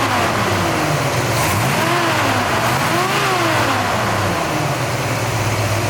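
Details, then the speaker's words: 1966 Chevrolet Chevelle SS V8 with GM 12-bolt rear, in excellent condition: quiet, deep, even rumble at idle with smooth rises and falls in pitch as the throttle is blipped, a bit of rumble under gas; sounds healthy. "you're going to hear that this thing sounds great it's quiet but yet when you give it the gas it does have a little bit of a Rumble to it"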